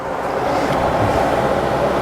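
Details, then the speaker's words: Pontiac Firebird V8 revived after sitting, running: loud steady hiss over the engine from a big vacuum leak at the brake booster hose, which needs replacing. "big old vacuum leak right there on the booster so we need to change that hose out right there"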